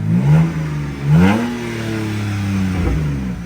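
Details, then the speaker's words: 2006 BMW 325i, previously a no-start with a crank sensor that had been unplugged and was replaced. Two light revs rise cleanly and drop back to a smooth, even idle with no stumble. Normal rev and idle. "That's civilized. That's civilized. Dude. That's civilized, Dude, right? And that's a good idle. It's not gangster."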